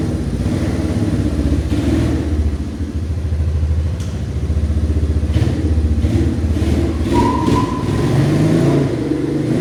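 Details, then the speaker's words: 1989 Yamaha Moto4 200cc quad after new timing chain, refitted with old carburetor and old throttle cable: single cylinder pulls cleanly through steady revs and throttle openings, no misses, clatter or hesitation; runs fine. "So I put the old carburetor on with the old throttle cable and it runs fine."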